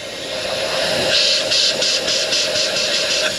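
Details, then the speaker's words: Air hissing from a hairline crack and a second crack in the rear air bag near the rear axle of a Freightliner M2 truck, which leaks down within five minutes when parked; steady sharp hiss, swelling and pulsing slightly, no engine running. "a little hairline crack right there is causing is what air is leaking out there's also another crack over here you can probably hear the difference"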